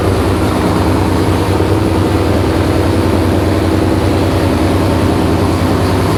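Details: Freshly built V8 in an S15 on its first start, before exhaust is built: deep, loud, steady rumble with an even low beat, no knocks or ticks; normal running.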